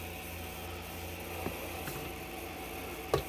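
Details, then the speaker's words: Anet E10 3D printer, advertised as low noise but loud: a steady airy whoosh with a faint low hum comes from the electronics cooling fan, which makes most of the printer's noise all the time. "I remember seeing a couple of videos online, some reviews of this, where the electronics in here, yes, it has a fan, and that's really what you're hearing."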